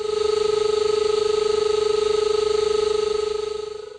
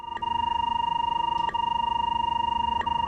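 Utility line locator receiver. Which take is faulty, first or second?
first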